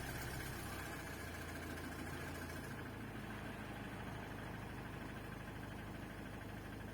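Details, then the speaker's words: Citroën C5 X7 2.0 HDi 138 (DW10) diesel at 356,042 km, started after oil change with 5 litres of 5W30, level checked: even low diesel clatter at steady idle, no knocks or misses, no warning light; normal idle. "Voilà, ça a l'air d'aller, pas d'alerte. Tout me semble bien."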